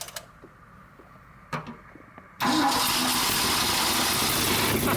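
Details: 1976 Ford F-600 dump truck V8 with a new Holley carburetor, new starter solenoid, alternator, water pump and fuel filter: after a pause it catches at once and settles into a steady, even rumble; the ignition points are suspected for the earlier trouble.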